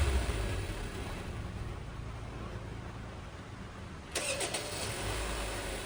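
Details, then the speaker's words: 2019 Honda Civic idling after replacing the auto tensioner, idler pulley and cracked drive belt: steady, even idle, smooth low hum, no squeal, chirp or rattle; normal idle. "गाड़ी को स्टार्ट करने के बाद इंजन का साउंड मैंने आपको सुना दिया है। सारा काम हमारा बिल्कुल कंप्लीट हो चुका है। गाड़ी के अंदर किसी किस्म की कोई नॉइज़ नहीं है।"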